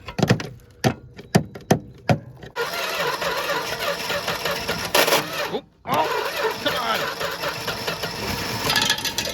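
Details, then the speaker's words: 1973 Plymouth Scamp slant six that sat near the ocean for 20 years and was seized the night before, on fresh fuel: several cranking bursts, then it catches into a rough run, briefly dies and picks up. It now runs, and the choke works. "but i personally choose to believe every crazy slant 6 story i've ever heard because well just look at it this runs it was seized last night the choke works"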